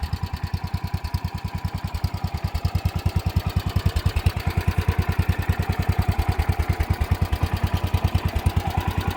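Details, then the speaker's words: 1977 Wheel Horse B-100 garden tractor, 12 hp single-cylinder, idling: an even, steady thump at about ten beats per second with no misses or knocks. It runs well, though the fitted carburetor is likely not meant for this engine, so it isn't perfect. "As you can see, she's sitting out here idling. It's not going to run perfect, and I'm not going to be able to make it run perfect because of the carb that's on it."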